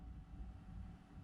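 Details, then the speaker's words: PECRON E2000LFP power station, about 460-500 W solar input plus about 200 W output: only soft steady cooling-fan hum, no rattle or whine; quiet, normal under load. "all you hear is a little bit of hum from the fan uh here we're going up more let's see how high we can get maybe we can get you know 1 th000 Watts today"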